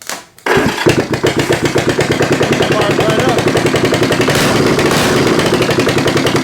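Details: 1972 Honda CB350 cafe racer twin, rebuilt after a holed piston with cases split, carbs roughly synced, first start: starter catches into a loud, even, rapid crackle through open, unclamped pipes, settling steady; runs healthy.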